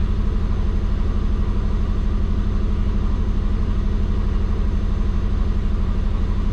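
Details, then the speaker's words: Warm, at operating temperature, the twin-turbo Subaru holds an even idle at about 1400 rpm that never settles to the expected 600; the owner suspects the injectors, pulse width around 0.8 (minimum 0.6). High idle speed. "So yeah, we're at temp. Alright boys, so it's like idling at 1400."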